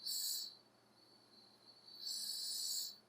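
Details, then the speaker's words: Lexus IS300 turbo intake manifold pressure test at 25 psi with new ID1700 injectors: sharp high hiss swelling and fading as pressure shifts; number six injector not sealing, spacing/fitment issue, fuel rail spacers may be needed. "Wow yeah this number six injector is not sealing properly it's already at 25 psi you can hear it change just with my a little bit of extra force"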